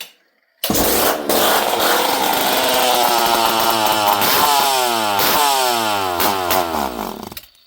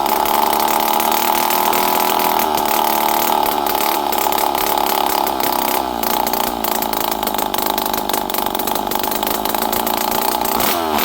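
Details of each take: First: Poulan 5200 Countervibe chainsaw, unrun for 5-6 years, started with no choke and fuel added: catches and revs briefly, pitch wandering and sagging, then stalls as if starving for fuel; owner unsure the carb picks up fuel. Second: Poulan 5200 Counter Vibe chainsaw, unrun for 5-6 years, on the bench after carburetor screws were set around half to 1.5 turns, with no muffler. A steady high-pitched scream with small rev rises and dips, clean and even with no misfire. Normal running.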